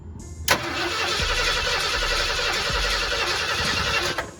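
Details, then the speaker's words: 1979 Ford Bronco under restoration, cranked on a jump starter with a weak battery: starter turns the engine at about four beats a second for nearly four seconds without catching; cranks, no start. "so it cranks but i don't know maybe we'll just try it again not much of an engine guy to be honest"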